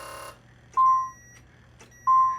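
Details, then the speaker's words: Nissan 300ZX (Z32) with a no-crank, no-start problem: a power probe at the ignition switch gives two clean high beeps about a second apart as the key turns, showing voltage present from the ignition switch. "So there we go. So we do have power coming from the ignition switch."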